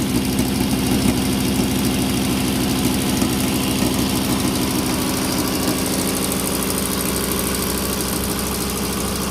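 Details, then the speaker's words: Volvo C30 brought in by tow truck with power loss, started and idling: uneven, shaking rough idle with irregular stumbling and strange noises, engine visibly shaking on its mount; multiple misfire codes, with injectors, plugs and coils to be checked. "dale marcha a parte de la inestabilidad en la tembladera del motor se alcanzan a percibir sonidos extraños"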